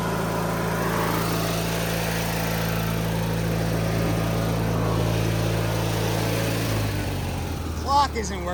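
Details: 2003 Craftsman (AYP) DYT4000 lawn tractor (hydro, electric PTO, GT5000 hood) as blades are kicked in; steady, even drone without misses, pitch dipping near the end as load comes on. Runs strong; normal running.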